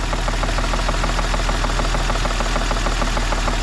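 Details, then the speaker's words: BMW E46 coupe 2.5-litre engine, cold idle just started about 30 seconds: steady quick tapping about two a second over normal injector tap, sounding top-end rather than bottom-end; exact source unconfirmed. "so you can hear the ejector tap which is normal but hear that tap that like knocking"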